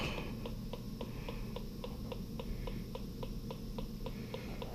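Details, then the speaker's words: 1956 natural gas boiler in operation, electronic gas leak detector held near the valves: sharp electronic ticks three to four a second over a low boiler hum, beeps rising, detector picking up gas. "OK so you can hear the beeps and you can see they have elevated in that area."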